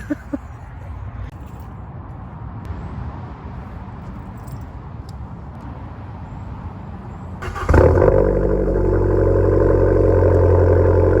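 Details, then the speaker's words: Abarth 595 Turismo, very loud exhaust, cold start at 7 a.m. in England at 5°C: quiet background, then the engine catches and holds a loud, steady, raised idle with an even note; healthy normal cold start. "here goes the cold start for those of you that are still watching get ready"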